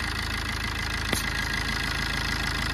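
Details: Suzuki SX4 diesel idling after timing chain work and cleaning of the blocked intake port, intake manifold and EGR for poor pickup: a steady, even clatter with no irregular knock or hunting; running smoothly.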